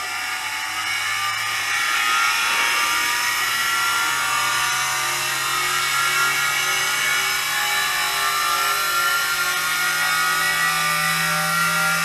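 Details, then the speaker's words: Peleng 1240GS Soviet gyroscopically stabilized binoculars, gyro powered by an added 3-cell lithium pack (~12 V), spinning up to running speed: loud, gritty high-pitched whir over a low hum, rising slightly as it settles; bearings sound unhealthy but it works. "Yeah, and the bearings don't sound that healthy anymore, but it works."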